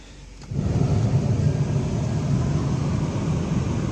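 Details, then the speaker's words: Ford Taurus after replacing the AC compressor clutch: the engine starts and idles normally with a steady, even low rumble while the AC compressor clutch now spins. "no idling normal feels like we have air AC compressor clutch is now spinning"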